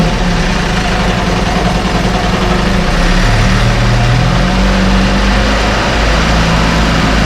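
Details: 1968 Evinrude Fastwin outboard, 52 years old, run in a test tank with no work done; even, steady low burble at idle with no misfires, rattles or surging; normal idle.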